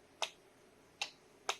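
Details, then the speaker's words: Can-Am Outlander 1000 with added whip lights, heard at the rear near the stacked relays: three crisp sharp clicks with quiet between, light bar relay pulling in and releasing; normal relay clicking. "And I It's wired to a relay. So, you can hear it clicking back here."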